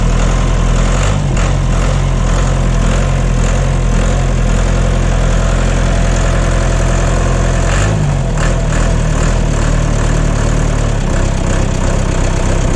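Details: John Deere 2030 diesel tractor, cold and not yet warmed up, idling right after reinstalling the overhauled and calibrated Stanadyne/Roosa Master injection pump: a steady, even low rumble with no misses or knocks, no blue smoke, burning clean; normal idle.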